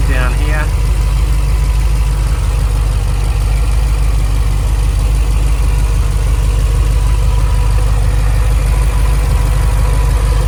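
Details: Holden VF / Chevy SS 6.0/6.3 LS V8 idling after a custom oil cooler and Mishimoto radiator install, coolant just topped off while checking for leaks: deep, steady, even rumble with no knocks, ticks or misses; normal healthy idle.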